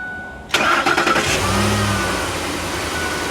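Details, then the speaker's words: 2008 Ford F-150 King Ranch, 5.4 3-valve Triton, cold start. Cranks, catches, then a brief metallic clatter from the top of the engine before settling to idle. Rattle happens on first start only; phaser, lifters or timing chain suspected. "okay no rattle that time so it's just a first start rattle all right yeah so we had a rattle first start only"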